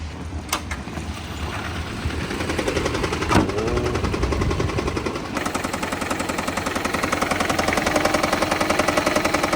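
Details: Toyota Prius 20, rebuilt after a crash, using oil and fuel; engine starts and settles into a fast idle with a light regular ticking knock about three per second, source not pinned down.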